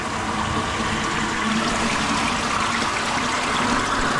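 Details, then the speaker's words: Koi pond drum filter refilling after the pump is switched back on: strong steady rush of water, even and unbroken, filling much faster now; dirt sitting on the bottom of the screen had likely been restricting flow. "Right, so you can hear it's filling up a lot faster now. So the bottom of the screen must have had dirt sat on it."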